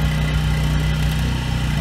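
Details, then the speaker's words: Husky generator with Subaru EX30 engine, 7 years old, after carburetor rebuild, under about 900–1500 W load: even steady drone holding speed without surging; surges only at no load, still lean at no load. "Under about a 900 watt load, the surge almost goes away. And 1500 watt load is also pretty good."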